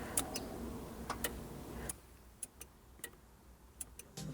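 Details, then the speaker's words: Honda S2000 with a bridged clutch switch, push start pressed with the key on and the clutch not pressed: light irregular clicks with no cranking; the starter relay and bridge work, but the low battery cannot spin the starter. "Okay, so we can hear the starter relay working, which means a the starter relay is working and b that our neutral safety switch bridge is also working cuz I'm not pushing the clutch, but when I hit the start button, the relay is still working."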